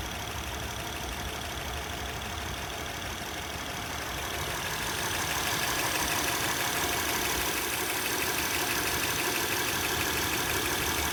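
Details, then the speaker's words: Steady idle with a crisp, even tick about three times a second; an oil leak is dripping onto the exhaust and smoking, and the mechanics ask whether that is where the tick comes from; the source is still unknown. "The reason it's smoking is it's leaking directly down into the exhaust, >> which is where is that where the tick is coming from?"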